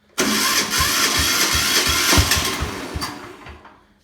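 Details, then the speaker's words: 1973 Sears SS16 diesel (D10S) tractor cold start after a week unused, with a new Walker Glasspack (24441) just sitting on the pipe; cranks and catches into a loud, rough, smoky chuffing run about 2.5 beats a second, then dies. "So this is going to be a cold start video. I haven't started it in about a week. So I'm going to start it up and let you hear how it sounds with the Glasspack on it."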